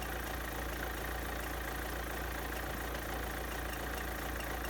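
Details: Renault Clio 1.5 dCi diesel after fuel filter replacement and priming with hand pump: even, steady diesel clatter at idle with no misses or hunting; normal idle.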